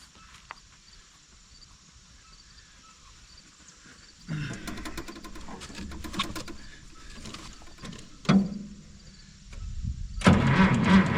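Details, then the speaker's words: Minneapolis Moline G900 LP tractor quit in the field; repeated bursts of starter cranking at about three turns a second that never catch. Owner suspects no spark, maybe the coil; a birds' nest was later found to be the cause. "that is not like this tractor to not startch okay well going have to do some more investigating"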